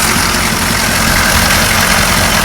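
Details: GM 6.2L diesel rough idle, clear fuel line fitted between filter and injector pump to find an air leak: diesel clatter with slightly lumpy, uneven beat; owner suspects air entering through cracked rubber fuel lines, lift pump believed fine.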